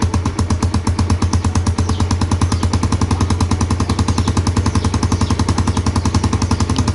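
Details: Yamaha Jupiter Z motorcycle kick-started for a charging (stator) test: crisp, regular single-cylinder putt-putt at steady idle, no knocking or misfire; healthy running.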